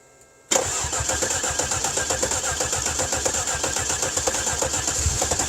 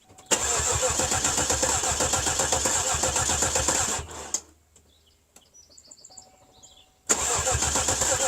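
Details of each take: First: Cadillac 300 HP Northstar V8 with a broken exhaust, right after replacing the fuse: quiet, then an instant catch into a quick, even, steady idle with no stumble or knock, charging at 14.7 V. Healthy start and idle. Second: Cadillac 300 HP Northstar V8 with a freshly installed battery: two long bursts of steady cranking at about four turns a second that never fire. No-start traced to a blown PCM fuse.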